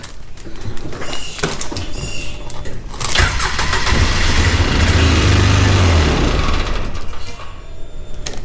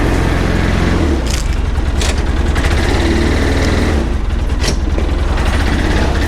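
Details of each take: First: 2009 Polaris Ranger 700 EFI after a new starter and a cleaned sensor: it cranks a few seconds, catches, runs rough, then dies without throttle and won't hold idle; wiring harness suspected, not confirmed. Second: 2009 Polaris Ranger 700 EFI side-by-side driven through a neighborhood after repairs including a starter and an idling issue: a steady, low engine drone under way with even firing and no knocks or misses; running well.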